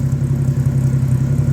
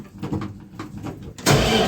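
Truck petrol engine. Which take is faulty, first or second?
second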